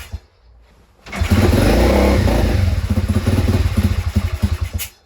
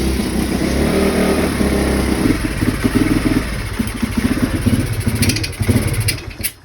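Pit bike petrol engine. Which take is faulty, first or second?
first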